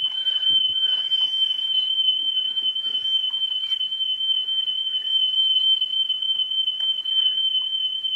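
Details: National Panasonic RS-612 cassette deck (about 1978) during service, playing a test tape tone on the right channel: steady high tone whose level sags off the peak as the head is adjusted; head azimuth out of alignment.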